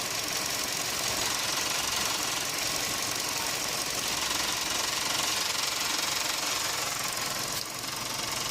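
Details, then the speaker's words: Petrol engine at idle, camera on a selfie stick in the engine bay: a fast tinny rattle about three a second that comes and goes, from a loose radiator fan housing; also makes a grinding noise when accelerating away. "so now I'm in the engine bay and you can share it very loudly radiator hose it's gone it's back it's gone it's back fun kiss housing it's gone it's back"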